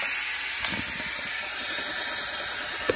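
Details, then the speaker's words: 2010 Audi A4 leak-down test, engine off, cylinder one at top dead center, gauge low: steady faint hiss of air at dipstick tube, small leakage past piston rings; minor blow-by. "if you can hear that as a dipstick tube there's air coming through there so whatever leakage we do have is coming through there you can hear a little bit through there you know past the Rings"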